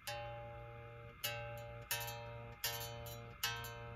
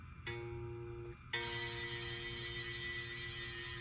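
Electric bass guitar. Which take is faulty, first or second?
second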